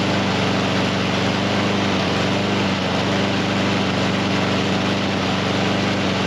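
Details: Husqvarna HU700F mower that won't stay running, after greasing parts and freeing a slightly stuck pin; steady but heavy, slightly uneven running that never clears; auto choke suspected stuck on.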